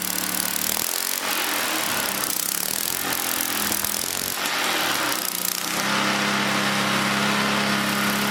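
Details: 100-year-old Model T spark plug fitted to an old small engine, restarted: a few seconds of scuffling, then it catches and settles into a steady, even buzz with no misfires; running fine.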